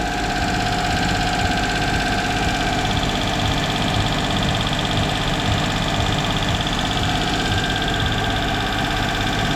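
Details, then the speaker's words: Duet petrol engine with sneezing fault, throttle work in progress, valve removed: steady fast idle right from start, throttle adjustment has no effect, no drop or stumble; owner suspects an air leak, cause not confirmed. "капец сразу на запуске холостые высокие покрутим ничего не происходит"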